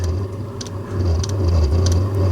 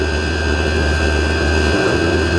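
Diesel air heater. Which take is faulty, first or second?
first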